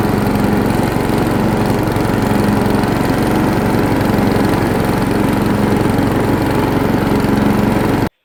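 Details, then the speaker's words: White Outdoors riding mower back running after sitting 2 years, mowing wet grass under load: a steady, even engine drone with no misses or surging. It sounds healthy. "Running good. Mowing decent. Grass is still really wet, but it's doing all right."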